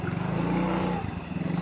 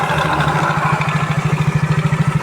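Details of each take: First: Yamaha Mio J scooter restarted after cam chain replacement and road test: even, regular idle pulses with no tapping or rattle; engine runs normally, top timing now good. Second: Yamaha Mio J scooter before repair, idling with a loose metallic clatter pulsing about three times a second over the engine; a slack cam chain, later replaced.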